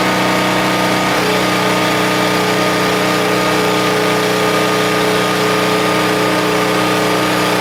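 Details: Husky 1850W generator (about 5 hp) with Mikuni T3044 carburetor, converted to natural gas after cleanings failed, hair dryer load: steady even drone with constant tone, no misses or surging; runs smoothly on natural gas.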